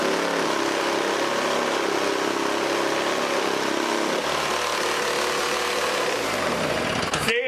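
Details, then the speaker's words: 1980s Toro S-200/S-620 two-stroke snowblower restarted and tipped back until it clears out. A steady, even drone with no misses or knocks, then it winds down near the end; runs fine. "well let's start it up again and I'm going to lean it back"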